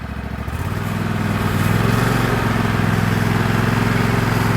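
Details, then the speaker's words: 2016 Husqvarna LGT2654 lawn tractor, started without choke: single-cylinder engine catches quickly and settles into a steady, even thrum with no knocks or misses; sounds healthy. "definitely has a good sound to it"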